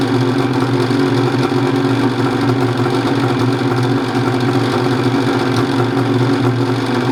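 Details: Banack-built turbo Gen 4 Ski-Doo 850 two-stroke sled, after a fuel pump upgrade, new fuel filter and intake modifications. Fired in 3 pulls and settles into a steady, smooth low-drone idle with no hunting or misses; the earlier weird idle is improved.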